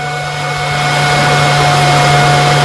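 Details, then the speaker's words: Custom Gecko G540 CNC driver system with a PWM thermistor-controlled cooling fan: steady fixed-tone whir easing off as the temperature drops, no rattle. This is a normal run-down before the fan shuts off. "you can hear the fan just slowly kicking back until that therm resistor actually drops in temperature and once it reaches a certain temperature just like your AC in your house it'll turn off the fan and therefore provide a Silent Running system"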